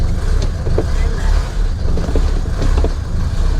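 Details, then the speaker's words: Mercedes W115 /8 220D diesel with Bosch inline injection pump, just after O-ring replacement to fix a pump leak; cold start after glow plugs. Deep clatter swelling and sagging, a hunting "sawing" idle that stabilized after about 20–30 seconds. "Well, okay, we can live with this. You may hear the car is what I would call sawing"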